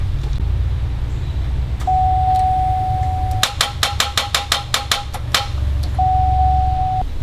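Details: 2004 Buick LeSabre Limited with a new starter fitted: a chime, then about ten rapid clicks at roughly five a second with no cranking; click no-start caused by a loose ground cable on the engine block.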